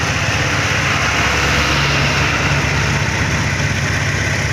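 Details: Honda Vario Techno carburetor scooter that clicked in the CVT at low revs and initial throttle, with power loss. After replacing the worn front pulley roller bushing and cleaning the clutch area, it idles smoothly with an even low putter and no knock or rattle.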